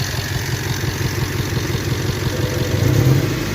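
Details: 1998 Toyota 4Runner 4-cylinder, towed in with an obvious misfire but no codes, waste-spark ignition checked by scope: uneven lumpy idle with irregular low thumps and a stumbling beat; cylinder misfire, suspect traced to cylinder number two.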